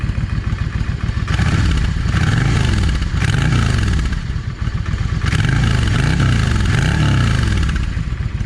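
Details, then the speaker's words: Yamaha 650 V Star, cold, after the front carburetor's 22.5 jet was replaced with a 25. Deep V-twin rumble swells and falls through throttle blips, clean, with no backfiring. Normal revving. "That's running real good right there. No backfiring,"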